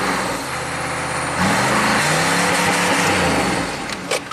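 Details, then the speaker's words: 1995 Chevy K3500 6.5 turbo diesel, 160,000 miles, with new pump driver module: idles, then revs to 2,000 rpm on light throttle and climbs to redline; runaway revving, cause not yet found. "I'm going to give it just a little bit of gas here. revs up to 2,000. As soon as I touch the accelerator,"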